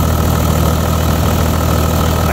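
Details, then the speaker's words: 20-year-old Toyota Land Cruiser 100 series, 4.2 L 1HD-FTE turbo diesel: loud, lumpy clatter at idle, clearly not running on all six cylinders, with white and blue smoke; misfire, cause unknown, injection pump suspected. "look that is definitely not running on six cylinders the white and blue smoke has started"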